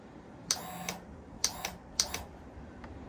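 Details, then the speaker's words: Suzuki motorcycle, about 64,000 (or 6,400) miles, on a jumper box with power confirmed: sharp dry clicks in uneven bursts, no starter spin. Earlier it spun but hesitated; seized engine or bad starter relay suspected, not confirmed. "Looks like it's only clicking. The starter relay is clicking, but it's not spinning."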